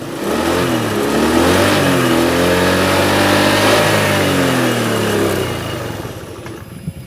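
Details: Honda Beat FI 110 injection scooter, hard starting: engine revs up and falls back, then dies when throttle released; fuel pressure, injector and idle screw ruled out, cause was too-tight valve clearance.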